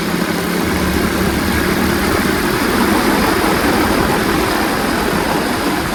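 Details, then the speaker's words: Revived Tao Tao 125cc ATV quad with a new carburetor, ignition switch, stator and pickup, ridden slowly in the rain. The small single-cylinder engine holds a steady, even, quiet drone under way with no knocking or rattling. Healthy running. "super quiet of course it goes over launch like nothing curbs too awesome it's awesome"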